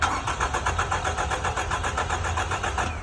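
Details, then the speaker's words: 2014 Toyota Camry four-cylinder that died while driving: starter cranks steadily at about four beats a second with no firing; back-probed crank sensor shows no signal, only tiny ripple, so the sensor is judged dead. "Nothing, just ripple, just a little tiny bit of ripple. I think that sensor's dead."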